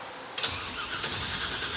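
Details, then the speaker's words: '56 Chevy Field Car with 500-hp small block, newly installed starter ordered for a '97 Camaro application: the starter engages cleanly and spins the engine at an even, brisk cranking rate with no grinding; the starter works properly. "Nice. The starter works."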